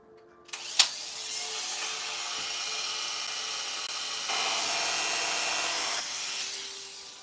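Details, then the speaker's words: Freshly sharpened barber's clipper blade after readjusting, running test: an even, high-pitched buzz holds steady with no rattle or drag; blade feels good, sounds fine and cuts like butter; normal running. "It feels pretty good. Doesn't sound too bad, so let's see if it cuts."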